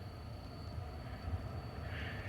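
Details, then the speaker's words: 2007 Toyota Camry cabin: thin, steady high-pitched whine over a low rumble from a worn blower fan motor, changing with fan speed setting. "Are you getting that weird whining sound in your vehicle? Just like the one I'm here right now in mine? And it seems like it only affects it when I change the fan speed."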